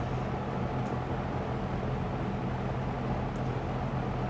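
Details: Lakewood P25 metal-blade fan, bought new around 2009-2010, barely used, in a window at medium speed. A steady airy rush with an even low hum, no rattle or scraping; running smoothly.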